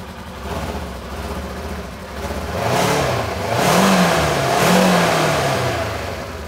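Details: 2015 Polaris RZR 900S that had sat in storage and was dead on one cylinder, after reconnecting the fuel injectors and priming the fuel system: engine picks up cleanly through several blips and settles smoothly, firing evenly on both cylinders, normal running.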